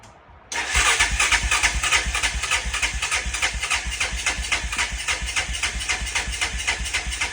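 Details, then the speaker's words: 1999 Honda Foreman 450S ATV, non-starting, tank cleaned, plug in, full choke: starter chugs about three beats a second without catching and pulses fade, blamed on a weak battery; slow, weakening cranking. "Sound like it wants you for a moment. Oh, the damn [clears throat] battery."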